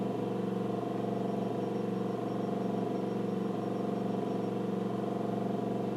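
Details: Nikon LS-8000 ED film scanner on the second VueScan prescan of color slides, autofocusing; even motor hum with soft regular pulse about three times a second, steady and unbroken; normal prescan operation.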